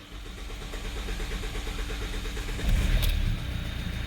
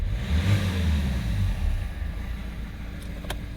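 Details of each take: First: 2015 Hyundai i30 diesel with a cutting-off problem, electric fuel pump priming after work: brief starter churn, catches within a couple of seconds and settles to an even idle around 850-900 rpm; clean start. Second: 2015 Hyundai i30 diesel after a partial intake clean: from idle, a brief rev makes the engine note sag and rumble unevenly as if about to cut out; it has cut off at about 2,000-2,500 rpm on releasing the throttle, cause not yet known.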